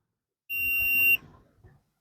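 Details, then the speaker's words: Old Stranger PBT-1500 amplifier with shorting problem, multimeter on transistor legs: sharp high continuity beeps as probes touch; indicates not all transistors burnt. "देखो, यह आवाज यहाँ से आ रही है। देखो, यह आ रहा है। इसका मतलब यह है कि दोस्तों, इसके सभी ट्रांजिस्टर जल नहीं गए हैं।"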